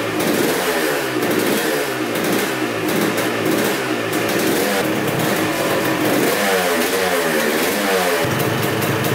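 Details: 1986 Honda CR250 two-stroke that sat over five years, on fresh gas: crisp ringing idle with quick blips rising and falling cleanly, no stumbling or misses; started right up, no leaks.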